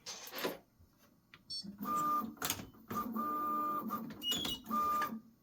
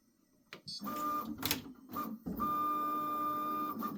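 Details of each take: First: Prusa XL tool 5 tool change after reset: short motor bursts with thin high squeal during docking; nozzle suspected rubbing dock/brush while docking and undocking, still a little squeak. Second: Prusa XL tool 5 docking/undocking after fix (nozzle was hitting the dock, tape added): smooth, even stepper whir with light clicks, no squeak or scraping; tool change now runs clean.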